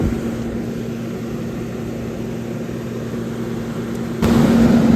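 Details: CaptiveAire kitchen hood exhaust fan, new replacement motor, amp draw 3.5 A; old motor suspected killed by variable-speed potentiometer: steady even hum, no knocks or rubbing; normal exhaust fan running.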